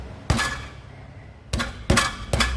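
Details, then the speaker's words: VW Transporter T4 campervan, after a faulty rotor button caused a backfire. The wrong-size catalytic converter's substrate has collapsed. Hand thumps on the exhaust give hollow knocks followed by loose metallic rattling from debris that has reached the muffler. The cat needs replacing. "just getting more rattle from the front. Hear that? That's me thumping away at it. So it needs another cat."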